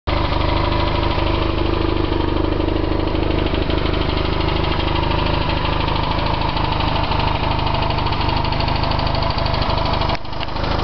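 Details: BMW R1100RTP twin-cylinder motorcycle idling steadily with a light, loosely regular tick over the exhaust note. Ticking at idle heard only on the right side, not the left.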